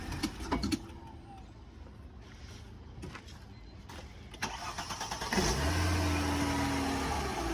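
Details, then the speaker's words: 2003 Mercedes C240 wagon at a tow auction, started with a jump box and moved backward and forward: quiet clicks, then the engine fires and settles into a steady, even hum. Normal idle after start. "and moving it back forward sounds pretty good"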